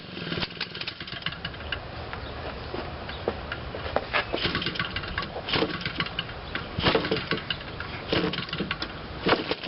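Fast, buzzy two-stroke firing that holds steady for the whole ten seconds with no cutting out; the small engine is running properly.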